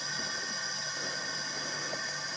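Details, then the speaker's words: 2006 Suzuki Forenza after a timing belt breakage, leak-down test with the cylinder at TDC on compression, engine off, about 100 psi in and only about 8 psi held (roughly 90–95% loss). A steady hiss of escaping air from a bent intake valve. "yeah we're losing lots of air here but the point is you can see that on this gauge right here you can see that we have about 8 PSI size so we're losing rough say 90 if this was 100 PSI over here we're losing 95 90 90 95% of our air is just blowing out"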